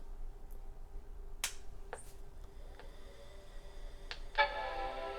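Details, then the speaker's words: Macintosh LC475 mid-90s computer power-on: a few clicks, then clean sustained startup chord (startup bong), booting normally; fan audible, though the monitor then showed nothing. "there's the startup bong turns the monitor on"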